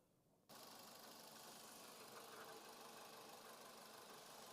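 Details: VW Vento idling after the faulty ECM was replaced and programmed to fix starting trouble and a missing EPC light: the engine catches and settles to a steady, even idle with no knocks, misses or surging. It is healthy, and no warning lights show.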